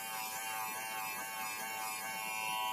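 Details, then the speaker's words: Wahl Senior cordless hair clipper after service (blade had been crooked, inside dirty), reassembled, running blade-down while about 5 drops of oil are applied: even, steady high buzz with no rattle or pitch wobble, motor and blades running smoothly again. "Nah, ini mesinnya udah enak lagi, siap buat tempur lagi."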